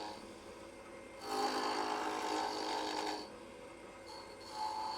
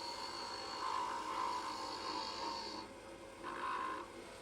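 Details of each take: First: Wood lathe at about 1800 rpm on the center pulley, rounding a blank for a light pull: steady hum, then the gouge bites in with a raspy, fluttering chatter, showing the stock isn't yet round. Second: Wood lathe at about 1800 rpm turning a light pull blank: an even, steady hiss of the tool cutting with no rattle or chatter, showing the blank is now round.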